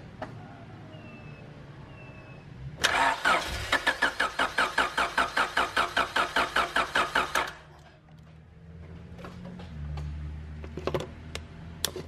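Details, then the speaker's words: 1991 Honda CRX Si with JDM B16A swap: starter spins engine at an even, brisk rhythm about five seconds without firing, then stops; crank no start, likely because it is out of fuel. "yeah i think you're out of gas man"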